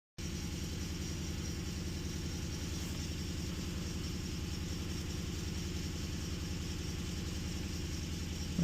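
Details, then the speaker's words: 2011 Nissan Frontier 2.5 four-cylinder running rough with code P0300; lumpy idle exhaust pulse from a misfire on cylinder three; relative compression looks good; coils or wiring under the intake suspected. "we got a 2011 Frontier with the misfire. Cylinder three is misfirmed."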